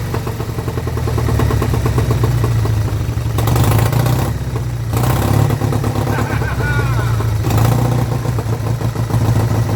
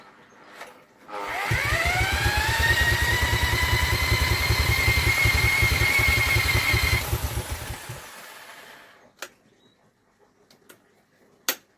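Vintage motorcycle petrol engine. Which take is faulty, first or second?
second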